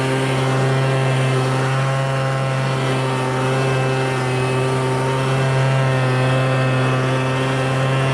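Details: MTD Bolens BL125 two-stroke leaf blower after carburetor repair and adjustment for no-start and bogging: steady even drone at constant speed with a strong low buzz, no surging or bogging; runs healthy.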